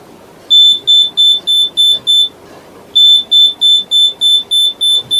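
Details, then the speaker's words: Flour mill (atta chakki) LDR sensor alarm, sensor normally buried in the wheat, covered by finger to make it dark: shrill high beep pulsing about three times a second in runs, warning that the wheat has run out. "गेहूं के अंदर यह रहता है और जैसे ही यहां पर अंधेरा रहता है यहां पे इसके सामने एलडीआर सेंसर लगा हुआ है। देखिए तो ये बीप की आवाज शुरू हो जाती है।"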